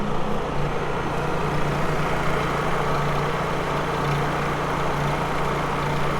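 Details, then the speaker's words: Honda EU3000is inverter generator just started on first recoil pull, with choke on: quiet steady even hum, smooth low drone, no knocks, misses or surging, exhaust on back side; normal running. "Look at that. First pull. See how quiet that is? Exhaust on the back side there."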